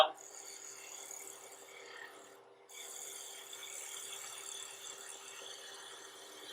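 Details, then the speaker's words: Wood lathe, turning an irregular blank with a double-edged tool riding only the high spots: sound changes from rhythmic tapping to a steady, unbroken hissing cut as the piece becomes round. "hear the change changing the sound from something that sounds comfortable like that to something that's a continuous sound and now that piece is round"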